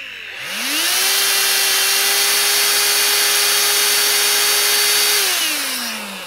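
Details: Dyson DC16 Animal handheld with electronic turbo brush, dirty filter: motor whirs up in half a second to a steady whine over strong airflow hiss, holds, then winds down; running normally.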